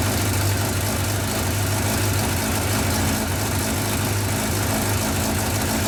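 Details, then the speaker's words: Yamaha 1200 FJ four-cylinder café racer: it starts readily and holds a steady, even idle burble with no misses, knocks or hunting, then is ridden without problems. "on a vu que la moto démarré bien qu'elle tenait son ralentit"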